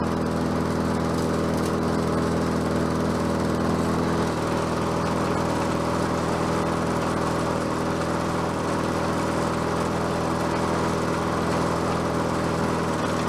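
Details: Bolens 22-inch self-propelled mower with a Quantum engine, on the ground after repair work: steady, even single-cylinder drone with no misses, surging or knocks; self-propel works and it runs smoothly and healthy.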